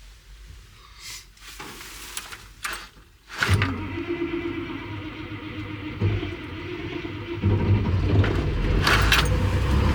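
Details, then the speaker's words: CAT 336 excavator reported not starting after sitting over Christmas break, about 0 degrees: starter turns over laboriously at about four beats a second before the diesel catches and builds to a rumble; cranking is slower than it should be in the cold. "And it's about 0 degrees today, so it definitely cranked slower than what I think it should, or what I remember it c"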